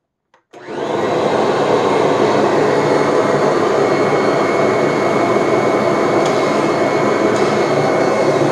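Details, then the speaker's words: Kirby G-series vacuum after transmission refurbishment (gears cleaned and regreased): clean start, then a steady high motor hum with a thin constant gear whine on top; whine only slightly reduced, not eliminated. "the classic old kirby transmission wine uh has been improved a bit but i can't say it's like night and day and it certainly hasn't completely eliminated it"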